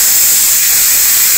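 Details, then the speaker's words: GM/Holden/BMW 5L40E transmission shift solenoid being reconditioned, in air tester at 65 psi, end plug not yet screwed in; steady high airy hiss of air escaping; solenoid air leak before adjustment. "leaking. And we just slowly, with the air on, we slowly turn this screw in and push the plug in until it starts to not leak as much."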